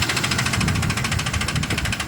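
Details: Ford F-150 at idle with a fast, even tapping knock, roughly a dozen raps a second, holding steady; recently bought, cause unknown.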